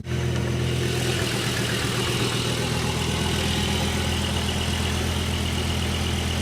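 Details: Volvo S70 cold start, lumpy uneven idle with stumbling beat, misfiring; solved by a full tune-up, exact cause unknown.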